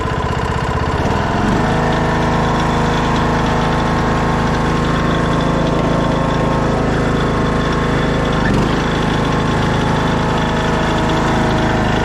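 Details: 2014 Craftsman T1600 lawn tractor, blade safety switch bypassed: starts on idle and settles straight into a steady, even idle with a smooth regular beat, no knocks or misses; healthy.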